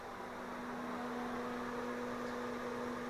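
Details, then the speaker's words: Fan-Tastic Fan Model 1250 newly installed in a travel trailer roof vent, exhaust mode, speed 3 (maximum): steady, even hum with a constant low tone over an airy rush, no ticks or wobble. It runs normally at full speed. "And we'll go for the gold, number 3. It's everything she's got. As you can see, there's definitely a breeze in the trailer."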